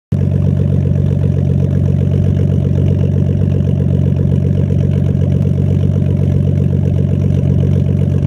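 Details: Nissan Skyline R32 RB20DET idling deep and steady with occasional faint uneven stumble; slight idle misfire suspected, also randomly stalls at idle and when driving; not confirmed.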